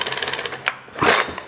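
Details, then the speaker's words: Old weed eater pulled from storage with brittle fuel line: quick ratchety ticks as the cord pulls, then a harsh grab and slide; the recoil pull start sticks and slips. "If you guys didn't notice, it sticks. It sticks and it slides."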